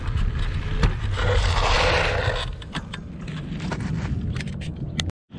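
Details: Kugoo Max Speed electric scooter ridden off-road on sandy rough ground, after previous falls: loose clattering and scraping rattles tracking the bumps throughout the ride; chassis rattle.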